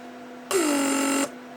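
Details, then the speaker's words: Repaired 1995 Mercedes W140 S-class door lock (PSE) pump from under passenger rear seat: smooth hum under a second, pitch dipping as vacuum builds, clean stop; locks/unlocks, no leaks, micro switches shut it off at set pressures. "it locks and unlocks no leaking and circuits micro switches set up properly because it's supposed to shut down when it reaches these pressures"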